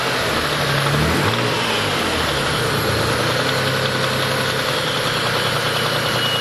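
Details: Mitsubishi 3000GT/Dodge Stealth twin-turbo V6, day after spinning the #4 rod bearing, last start before teardown: steady idle with a light, regular rod knock under the exhaust note; full rebuild followed.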